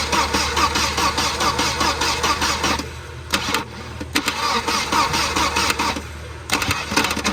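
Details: 1992 Volvo 940 wagon on a jumper box (battery dead): starter churns at a steady cranking beat with uneven bursts but never fires. It cranks but won't start; it ran once the radio suppression relay was bypassed.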